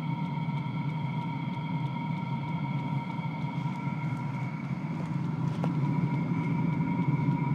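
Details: Diesel heater at first start on diesel fuel: steady low whirring roar with soft fuel pump tick about three per second as fuel arrives, some smoke, blowing hot air; running normally.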